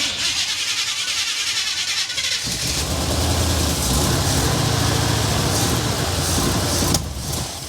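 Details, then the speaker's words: 1970 Chevy Blazer, abandoned, first start on temporary bottle fuel feed with the tank junk; thought to be a small-block 302 or 305, possibly a mild cam. Cranks, catches after about 2.5 s, then a steady even V8 idle with faint lope. Normal running. "I ask him if it had a little cam it sounds like it's got a little cam in it I don't know well you heard just sound like it's hitting a little Li it's it's smooth 302 sounds smooth though"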